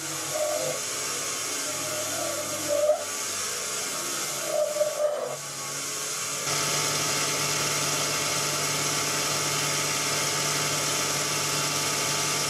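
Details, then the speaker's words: Lathe turning with a large-radius roughing insert, cleaning out a corner on a machinist's jack. Short warbling squeals turn into harsh buzzing chatter, which worsens as more of the tool radius engages the work. "it should be easy to see and hear how the chatter gets worse as more of the radius is engaged with the"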